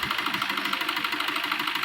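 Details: New Swift diesel idling unevenly with a rough knocking beat about seven per second and hard starting, code P0202; misfire on a cylinder, suspected injector wiring, not confirmed.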